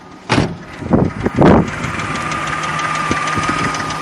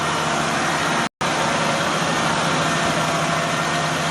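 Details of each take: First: Nissan Frontier with VG33E V6 at 183,207 miles, idling: light sharp clicking over the steady run from one or two noisy hydraulic lifters in the valvetrain, not a knock. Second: 2004 Nissan Frontier VG33E V6, about 183,117 miles, cold start: steady, even idle a little above 1000 rpm with no top-end clicking; the rattle appears only once warm, suspected hydraulic lifter.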